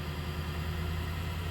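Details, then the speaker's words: WEN 3420 variable-speed 8x12 mini wood lathe, first start-up, speed raised from low: low, steady hum with no wobble, rattle or thump; no vibration felt, motor runs smooth. "Seems to be smooth. Seems like there's no vibration felt at this point."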